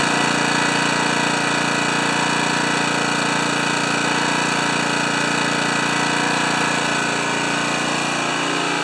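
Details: Honda HRA214 mower after main jet rejetting, checked with tachometer, expected 3500–3600 rpm: loud, fast, even engine beat holding speed without hunting or surging; running cleanly.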